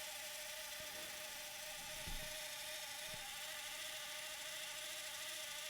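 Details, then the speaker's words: Thomson VTH6400F VCR during maintenance: steady whirring with a couple of soft clunks as the cassette winds to its end; normal end-of-tape mechanism noise. "est-ce qu'il arrive à la fin c'est la cassette qui fait du bruit c'est d'arriver à la fin bon on va dire c'est normal"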